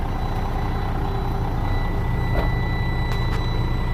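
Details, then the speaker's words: Cheap used semi truck with a Mercedes-Benz engine, bought as a possible spare or second truck; fires right up easily and settles into a steady, deep diesel idle with even low rumble and faint tone, running smoothly, AC cold; normal idle. "Fires right up, buddy. Cold AC up in there."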